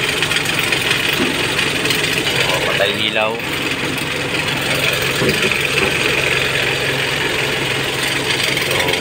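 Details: 2015 Mitsubishi L300 diesel after fixing its morning hard starting by tightening the loose glow plug heater module wire; charging reads 14 V, then 13.6 V with lights on: a steady, even idle clatter with no stumbling. It sounds healthy.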